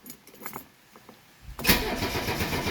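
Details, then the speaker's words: 1985 Mercedes 300CD (W123) diesel just after its engine compartment restoration, with fuel refilling the injectors: heavy, uneven starter churning for a long time with no catch yet, then it nearly fires. Extended cranking before the diesel fires. "We should get it to fire up here in about, I don't know, 15, 20 seconds. Oh, she wanted to go. Fuel is getting back in there."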